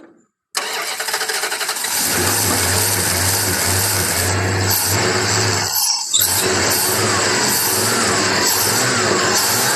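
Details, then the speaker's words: Old V8, sitting about two years and suspected of a misfire, running: it catches after a cranking stumble, then settles into a steady, even beat with no skipping; not missing. "but we she does run she's not missing and that's what I initially thought it was was a misfire or something like that"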